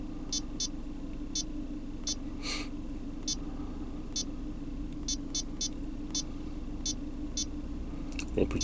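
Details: GM Cruze after a fuel trim/O2 adaptive reset: steady even idle hum with no stumble or shake, faint electronic chirps; engine running cleanly.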